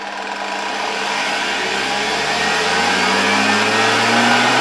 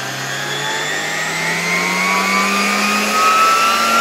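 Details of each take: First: 1987 Zelmer 200.8 vacuum cleaner, original type 300 motor with new brushes, probably still below 100 V on the regulator. Whine climbs in pitch as voltage rises, with harsh crackling hiss; heavy brush sparking that should not happen, worse expected at 230 V. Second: 1987 Zelmer 200.8 vacuum cleaner after swapping in a different type 300 motor, run at reduced voltage. Steady high whine climbing gently in pitch, smooth with no crackle; no visible sparking and seemingly lower speed than the original motor. Normal running.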